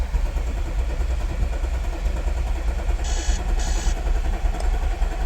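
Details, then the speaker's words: 2014 Audi SQ5 3.0 turbo diesel, very high kilometres, towed in with crank-no-start: lumpy, uneven cranking beat with one stroke lighter than the rest and no catch, sounds like one cylinder down on compression. "Obviously it was just cranking, and you could tell by the cranking cadence it sounded like one of the cylinders was down."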